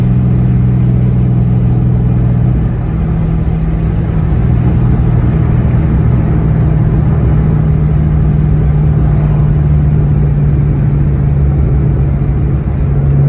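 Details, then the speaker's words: 2003-04 SVT Cobra with T56 and aftermarket 26-spline input shaft: smooth engine drone drops cleanly through a gear change with no grind or clunk. Normal shifting; the input-shaft noise is suspected to come from shaft quality. "now driving around it's completely unaffected the car shifts just fine and that should be because the gears are all farther back in the transmission"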